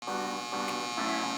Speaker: If you hear a humming or buzzling sound from your socket or circuit breaker, don't ignore it. It might seem harmless, but it often mean loose wire, bad connection or overloaded circuit.